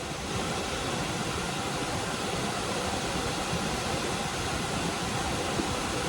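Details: Liebert server-room unit after the blower belt was tensioned: an even, steady air rush with no squeal, slap or knock. Airflow rose to about 2094–2179 ft/min from 1106 before, a smooth, healthy blower.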